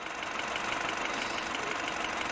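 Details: 2007 Mini One 1.4 N12 Valvetronic petrol, which hunted at idle on cold start, after replacing the Valvetronic solenoids; even, steady idle just above 1,000 rpm with smooth hiss, no stumble or hunting; normal idle.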